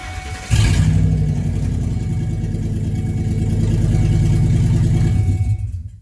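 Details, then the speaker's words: 2011 Ford E250 van at startup with its catalytic converter stolen: loud, raw, open roar with deep low pulsing, far louder than stock; exhaust noise from the missing converter. "Essentially, if your car is quiet the night before when you parked it up, and then you go out in the morning to go to work, fire this thing up, and it sounds like this, may have a problem."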